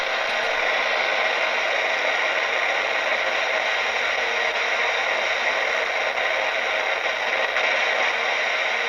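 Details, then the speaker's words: AM radio clock tuned to 612 kHz held near a third-party netbook power adapter: a harsh steady hiss and buzz swamps the radio once it is plugged in. This is electrical interference that was disrupting the internet modem. "that's the modem you hear talking isn't that weird"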